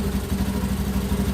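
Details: Honda Beat ESP injected scooter after fixing a stalling fault: with a battery cable disconnected the small engine keeps putting along at steady idle, even pulses with no stumble; charging is normal.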